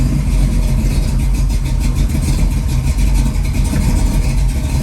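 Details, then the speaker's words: Freshly rebuilt Ford 289-based 331 stroker V8, timing at 10 degrees, mixture screws not yet adjusted: loud, lumpy idle that sags as if it wants to die; oil pressure good, needs idle tuning; rough idle. "wants to die [Music] got oil pressure water temp is up now definitely needs the idle fixed"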